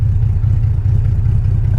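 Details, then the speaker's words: BMW 325xi E46 all-wheel drive with open headers and no cats, at a stoplight while driving: loud, lumpy low idle with uneven pulses and revs sagging as if about to stall, but it keeps running; rough idle, cause unknown. "First stoplight, is it gonna die? Sounds like it's gonna die. It didn't die."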